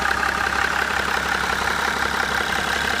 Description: BMW E61 11/2004 535d - Knocking sound from the front of engine - seems to be most loud in the level of the intercooler - what can it be?